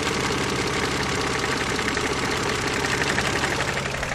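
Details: KF 2.0 engine at steady idle: quick light tapping about four times a second; resembles a hydraulic lifter but comes from the side, origin unclear.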